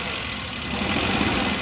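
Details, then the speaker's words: 2017 Suzuki Bolan (Ravi) Euro engine: rough, uneven idle with choppy, stumbling beat under harsh engine note, heavy missing. Engine misfire at idle; plug wires and spark current to be checked. "गाड़ी स्टार्ट करो। गाड़ी मिसिंग कर रही है बहुत ज़्यादा,"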